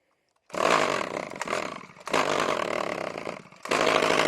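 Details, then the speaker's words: RedMax two-stroke string trimmer that sat for years, run on mixed gas with Lucas 2-stroke oil, full throttle with choke on; harsh ragged uneven scream, still has compression: engine blown but running. "Okay, I'm pretty upset that this RedMax is quite actually blown up."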